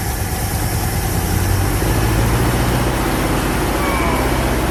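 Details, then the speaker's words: 1973 Plymouth Satellite running for the first time in 39 years: steady, even low rumble with no misses or knocks, settling into a smooth, healthy idle. "and there it is first time in 39 years wow honestly pretty smooth and all realty right"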